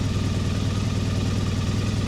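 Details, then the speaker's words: Triumph Bonneville T100 790 twin after engine replacement, warmed up, off choke, checking per-cylinder carb balance: even steady idle beat, no misses or hunting, cylinders well matched; nothing much wrong. "I don't think there's a lot wrong with that, is there?"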